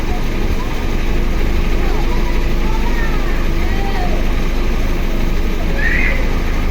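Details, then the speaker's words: Car converted to run on gas (BBG, two-line system), running only on the idle line after adjusting the idle opening: steady, even idle with a low smooth hum, no hunting or stumbling; idle correctly set. "Nah ini udah pas ya teman-teman. Dan ini hanya menggunakan jalur idle sini."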